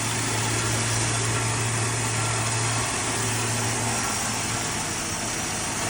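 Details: Plymouth Duster, Mopar Slant 6 225, running off the gas tank after starting on start fluid: steady, even idle with a low hum and regular firing, no knocks or misses; normal idle.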